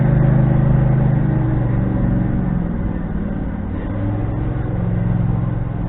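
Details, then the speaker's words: Husqvarna riding tractor after sitting all winter, running at steady idle: loud low rumble with coarse blatty pulse from a broken, leaking exhaust damaged over years (hit trailer, trees); owner won't fix it, says it quiets up over time; heads previously off, running good. "and yes the exhaust is broke i do not care to fix it the quiets up over time"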